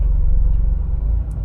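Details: Automatic transmission at about 60 mph on the highway suddenly unloading the engine: low steady drone that eases and fades as drive drops out into neutral; popping out of gear blamed on a gummed-up, corroded shifter input shaft.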